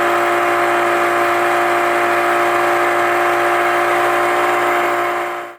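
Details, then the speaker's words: Yamaha 25 hp EFI four-stroke outboard cruising at 18 mph on one-third throttle: smooth, steady, quiet drone at constant revs with no misses or knocking, engine not stressed; normal cruising. "this clip is of yamaha 25 horsepower happily cruising at 18 miles per hour running nicely on one third throttle yep one third throttle so very much quieter and not stressing the engine"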